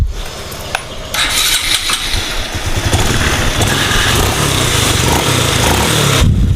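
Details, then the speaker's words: Honda Supra 125 FI after crankshaft bearing replacement, crank centring and cam chain tensioner replacement: starts and settles into a steady even beat with no knocks or rattles, smooth where before it went "ngok grok grok"; normal running. "Oke mesinnya udah halus [Musik] enak nah kalau kemarin kan ngok grok grok grok kuk ya sekarang sudahah halus"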